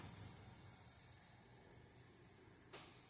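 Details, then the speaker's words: 1980 Pioneer CT-F1250 cassette deck reel motor, refurbished to fix reel table stalling, bench-run at 3.5 to 6 volts: very quiet, even whir with faint hum and hiss, no dead spots or speed hunting; working normally. "So that motor is working exactly as it should. Pretty quiet, too."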